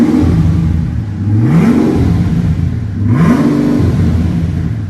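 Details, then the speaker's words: $1800 junkyard Mercedes W220 S600 V12 with straight-piped exhaust: two quick blips, pitch sweeping up and falling back to a deep even burble; smooth, not harsh or too loud, healthy engine. "It's not too much at all. Not even loud. Well, I mean, it's just burbling. Right, and that's straight."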